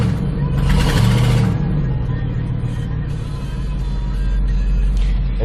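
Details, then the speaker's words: Ford F-150 5.4L 2V V8, in gear under load after an aftermarket ignition coil replaced cylinder 7's coil (P0307 misfire under load): deep, even rumble with no skipped beats. Scan tool power balance flat, all cylinders firing cleanly. "now we're perfectly flat all the way across no misfires in number seven"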